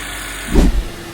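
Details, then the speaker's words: Honda Accord after VTC actuator replacement for early-morning rattle: low steady idle, smooth and even with one brief thump (power steering pump clearing air); rattle gone, engine sounds healthy. "all right no more rattles that's the end of that story"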